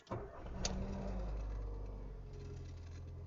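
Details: Ford Fiesta after timing chain kit replacement (old chain had broken into pieces, nearly clogging the oil pump, oil light flashing, engine noise): first start catches quickly, settles into smooth even idle with no ticking; healthy.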